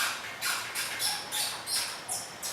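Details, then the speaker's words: Harley-Davidson Street Rod at 1,700 miles: repeated high scratchy squeaks as the throttle grip is twisted, from plastic rubbing on plastic. "That's kind of squeak to it. That's just plastic on plastic rubbing in right there."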